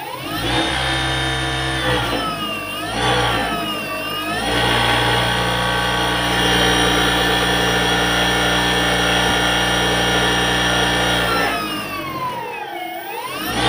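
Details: Easy bike (e-rickshaw) drive motor, end cap already removed, run before disassembly: loud whine rising and falling with speed, with a harsh rough edge through the steady run; excessive motor noise, cause not yet found.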